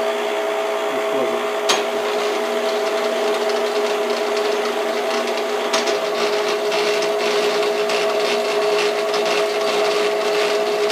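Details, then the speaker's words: Schaublin SV52 milling machine feed motor gearbox, tested after assembly with high feed speed selected: constant high-pitched gear whine over a steady mechanical hum. Gearbox noticeably noisy compared with the other one. "Again, it's quite noisy compared to this."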